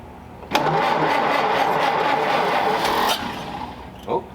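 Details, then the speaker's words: 1931 Ford Model A coupe, fuel tank sludged from storage: starts at once with a little choke and idles steadily, with no stumbling, after the air-bound fuel line from the bowl to the carburettor was bled. "got it pretty warmed up it's ID good"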